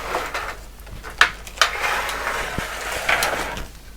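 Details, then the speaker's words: Mimi 801 vintage computer disk drive, drive upside down making it sound worse: few sharp, uneven metallic clacks as the sticky stepper-driven head carriage slams metal to metal into its end of travel because the stop is missing. "so if I recall one of these had a missing stop so it's that one these are upside down so it makes this sound worse than it actually is but there should be a stop so you don't get metal to metal contact"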